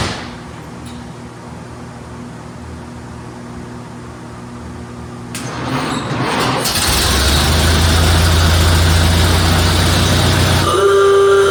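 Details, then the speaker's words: 1931 Ford Model A Victoria, first start after a six-month in-frame cam and tappet replacement for a broken lifter, weak battery on charge: a brief starter churn, then a steady, even low idle with no tapping. Normal running; timing not adjusted. "oh that sounds like it always did I guess I'll adjust the carburetor"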